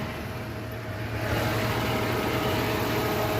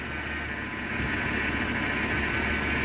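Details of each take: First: 1989 Jeep Comanche Eliminator 4.0L, likely without thermostat, warmed at idle: steady idle with smooth whoosh of airflow swelling in as electric cooling fan kicks on; fan running normally. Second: 1989 Jeep Comanche Eliminator 4.0L, AW4, 2WD, cold idle, probably no thermostat; a little uneven idle with a steady high whine riding over it from a complaining power steering pump, likely needing replacement.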